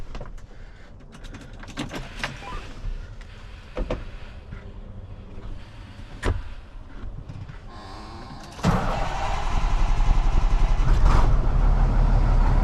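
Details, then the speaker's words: Tri-axle dump truck diesel after ground connections are rewired following a dead battery: quiet clunks and a blend door squeak, then it cranks, catches, and settles into a strong, steady, knock-free idle. Healthy start after the $5 fix. "Did you hear that puppy crank and that blend door squeak? Wow, that was pretty impressive."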